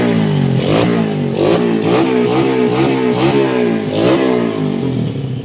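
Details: Yamaha Vega ZR / Jupiter Z Robot single, unused a year and a half, after clutch rework with 4 springs, fresh oil, fuel and new clutch cable: catches and revs in repeated blips, cleanly without rattles; normal start and rev.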